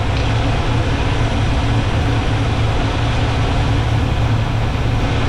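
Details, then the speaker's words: Small-block Chevy 350 V8 with four-barrel carburetor in a C10, idle mixture screw turned back out after leaning: steady, even low rumble with no stumble or hunting; smooth idle. "back on tube you hear it really picked up there and smoothed out"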